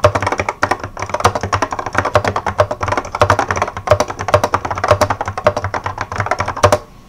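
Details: 1986 Apple M0110A keyboard with Alps SKCC tall cream switches, typing demonstration; steady typing, each keystroke leaving a short tinny ring; heavy, smooth switches that ping like crazy; keyboard switch spring ping.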